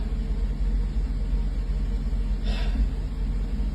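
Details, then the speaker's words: 1984 Mercedes 380SL after its 40-year-old ECU was replaced with a new-old-stock unit to fix rough idle and black smoke: a steady, even low idle with no stumble; the seat vibration felt before the repair is gone and the engine is idling correctly. "but she sounds normal now this is what this car is supposed to sound like she's idling correctly I don't feel vibration from the seat like I was before"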